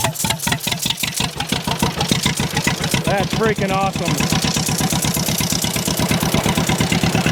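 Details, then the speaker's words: 83-year-old John Deere B, seized 20 years and freed, hand-cranked start with fuel on and belt off; slow loud even pop-pop settling into steady beat; engine judged in decent shape. "awesome awesome that makes me pretty happy because if it can start by hand by me doing this the engine's not in that bad a shape"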